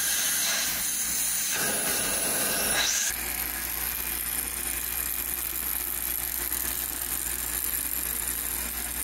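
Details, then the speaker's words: Early Spencer turbine central vacuum, restored: brief rising whoosh then steady airy rushing hiss at full speed, smooth with no knock or grinding; running normally with excellent suction. "the machine came up to full speed and then ran smoothly At Last I could say that this thing was working again with excellent suction and airf flow"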